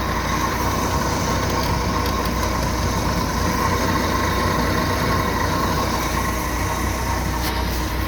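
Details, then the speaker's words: 1967 Chevy G10 van with an aftermarket carburetor, already warm, choke not adjusted: steady, even low rumble at idle with no knocks, misses or whine; normal warm idle. "It's already warm, so the choke isn't working 100%. That's just I haven't bothered to adjust it, so."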